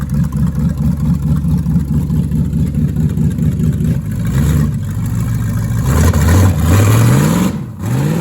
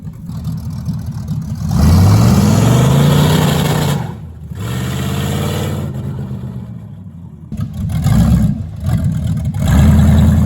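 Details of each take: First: 1973 Plymouth Barracuda, hopped-up 360 V8, old carburetor after sitting: lumpy uneven idle, revs climb in hesitant surges with dips, low on transition; stumble on acceleration, rear accelerator pump suspected dead, fuel delivery. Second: 1973 Plymouth Barracuda, hopped-up 360 V8 with 727 automatic (reverse manual valve body), after swapping the old Holley for a newer Edelbrock carb: steady loping idle with clean, crisp blips, no stumble; runs better than before.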